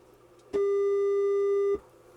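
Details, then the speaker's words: Harman Kardon PM665 after removing a solder bridge that grounded out the signal: clean, steady mid-pitched test tone with no hum, crackle or dropout, matching the good channel; problem solved. "That sounds good. Let's compare it to the good channel. They're both the same. Problem solved."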